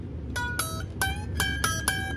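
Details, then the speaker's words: Squier/Fender Jaguar with a Mustang bridge: six finger-picked notes with a thin metallic ping as the high E string jumps out of its bridge saddle groove. The fix is a neck shim and raising the bridge. "you hear that pinging sound and if you look at it again it is not laying in the groove we gotta fix that"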